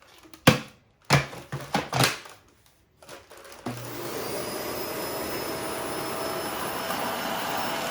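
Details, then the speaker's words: Shark Rotator NV520 vacuum: handling knocks, then rough, strained rushing roar with no clean pitch; dirt has passed through the motor into the clogged post-motor 'lifetime' HEPA filter, owner says it doesn't sound healthy. "But y'all heard, that didn't sound healthy. And you saw how much dirt just went through that motor."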